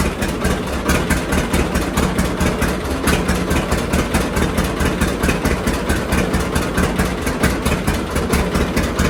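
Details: John Deere D two-cylinder tractor before regapping its Autolite plugs: a slow putt-putt at idle with an uneven beat and occasional skipped firing, a misfire from plugs gapped too small (about 0.030 in recommended).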